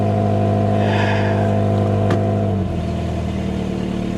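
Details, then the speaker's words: Old Subaru at auction with 191,000 miles, dash lights on: engine revs hard with a raspy, buzzy note, then settles as the throttle drops; clear exhaust leak, likely the flex pipe. "Yeah, it's definitely an exhaust leak. Sounds like it's a flex pipe that's leaking."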